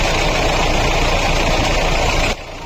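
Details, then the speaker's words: Mahindra Bolero diesel at idle, bonnet up, with a rough steady whirring growl from the fan and water pump; water pump bearing damaged after an over-tightened alternator belt, pump replaced. "Sound में कुछ आपको अलग लग रहा होगा। आप जो है ना ध्यान से जो है ना इसके फैन और वाटर बॉडी को देखिए। उसके अंदर एक अलग सा वाइब्रेशन है। जिस वजह से गाड़ी जो है ना इस तरीके का अजीब सा साउंड कर रही है। क्योंकि इसके बेरिंग जो है ना वह डैमेज"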